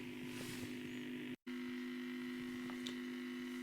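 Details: Telefunken Jubilate tube radio at first power-up before re-capping, on long wave at max volume, drawing 80 mA at 210 V: steady low buzzing hum under faint radio hiss, unchanging; filter capacitors shot, letting mains ripple through.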